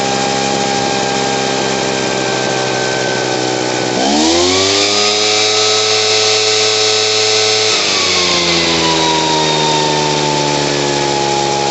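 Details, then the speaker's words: Poulan Pro PR46BT backpack blower two-stroke with old carburetor, after adjusting out bogging and turning idle up: buzzy note climbs sharply, holds, then drops to steady idle without bogging; running normally. "There we go. Just had to turn the idle up and get her going. The carburetor's old."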